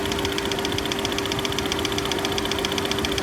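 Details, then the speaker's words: Auction-yard car on a very hot day: sharp metallic ticks at two to three per second over the idle with a shaky rattle, louder on the accessory-belt side and seeming to fade at higher revs; cause unknown. "It sounds like it's got a tap or a rattle in it."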